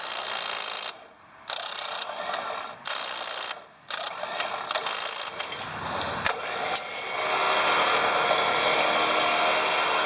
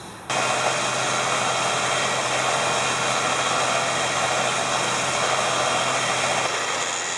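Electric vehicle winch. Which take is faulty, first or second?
first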